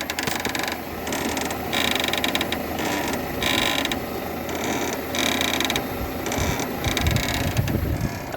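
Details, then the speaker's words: Peugeot 307 suspension creak: rhythmic dry creaking bursts as the body rocks, like an old cart, from a cracked, burst rubber bushing on the sway bar link, which is to be replaced. "quando esquece o carro faz esse rangido aí parecendo a carroça aí agora nós vai trocar esse essa Barrinha aqui"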